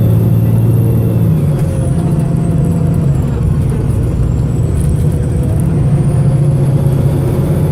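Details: Arriva North West 3008 (MX59AAY) VDL SB200 bus diesel under full-throttle thrash, recorded December 2017: labouring hard under load with a ragged, uneven beat, engine misfiring.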